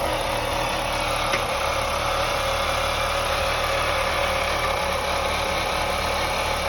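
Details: 2001 BMW 525i E39 M54 at idle: occasional sharp knock breaking a steady idle, intermittent; owner suspects loose spark plugs causing misfire.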